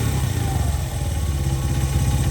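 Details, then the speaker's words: Honda XR100 carbureted single after sitting five years: idles steady and even with no misses after the mixture screw was eased from 1.5 to about 2–2.25 turns and the idle lowered; sounds healthy, still before warm-up. "yeah that sounds really healthy to me"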